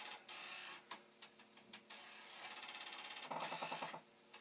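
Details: Commodore 1541 disk drive after adjusting the head stop: quiet whir with a fast, even run of sharp ticks about three per second as the head bangs its stop; the directory load fails and the adjustment made no difference.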